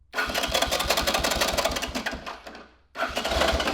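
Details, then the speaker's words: 1983 Honda ATC 200E 200cc three-wheeler, new battery, after cleaning broken start button, no fuel yet: uneven chunky chugging about three beats a second on the starter with no firing; sounds rough, cause unproven. "she is chunky sounding dude yeah i hope it's okay"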